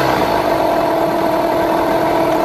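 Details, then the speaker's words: Yamaha 15hp two-stroke outboard with rebuilt power head, after idle mixture and speed tuning: steady, even idle, revs come right back down and sit there with no hunting or stumbling; running healthy, normal idle. "that comes right back down and sits there. So, I'm pretty happy with how this is running at the moment."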